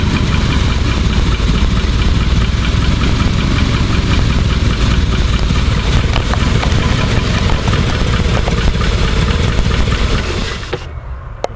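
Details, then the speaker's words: Rolls-Royce, heat-soaked engine, idle screw unchanged, automatic choke fully off: rough uneven idle creeping down about 20 RPM at a time then cutting out; hot idle fading to stall, choking or gas doesn't help. "It starts, you can hear it slowly bringing itself, the idle slowly down by itself. It's like creeping 20 RPMs at a time, and then the choke isn't moving, and when it gets like that, it's almost nothing you can do."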